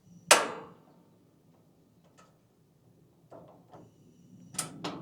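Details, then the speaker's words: Weber EP-425 gas grill, new build, first lighting: sharp single igniter clicks spaced over several seconds with no flame; burner only lights when the knob is held in while clicking, then released. "Hold it. And there we go, we got flame. So the trick is to hold it. The flame lights. And then let go."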